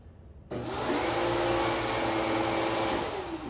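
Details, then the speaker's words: Kenmore upright vacuum on low setting on carpet: loud whoosh start, motor hum sagging slightly as it bogs down. "you hear it bogging down did you hear that"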